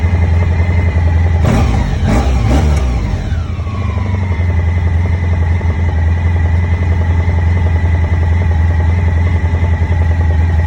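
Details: 2001 Honda ST1100 V4 motorcycle idling with a few quick throttle blips: a knock comes from the right side of the engine.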